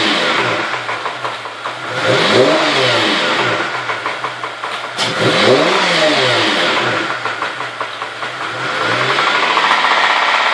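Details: Holden VZ Commodore petrol engine revving up and down repeatedly with a rapid, rough knocking rattle underneath throughout.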